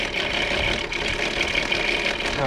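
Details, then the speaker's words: 2002 VW Eurovan, VR6 engine: busy tinny rattle at idle, apparently from over the manifold, that goes quiet when revved and persists after Seafoam; source not yet found. "quiet sounds pretty decent until it gets down to the idle and it's loud as heck"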